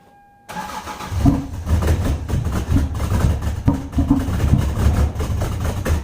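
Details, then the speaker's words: 1996 Lexus SC300 manual, 2JZ-GE: how it used to cold start with the coolant temperature sensor unplugged under the intake manifold, engine catches after cranking then chugs unevenly and nearly stalls; hard cold start, rough idle, fixed by reconnecting sensor. "let me go ahead and now and clip in how this car used to start and then I'm gonna go ahead and start this for you so you guys can see the big difference"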